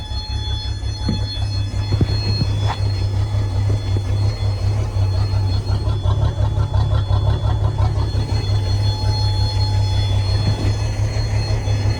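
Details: 1988 Sea Ray boat motor that cranked but would not start, now running on starting fluid: steady low drone with a thin constant high buzz over it; buzz source unclear.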